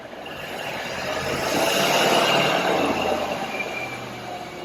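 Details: 1937 Cord 812 supercharged V8 with horizontal valves, roller rockers and a 6-to-1 supercharger, on a dyno sweep under load (4,200 rpm engine, data to 4,000). The roar swells about two seconds, then eases off smoothly with no knock or miss: healthy.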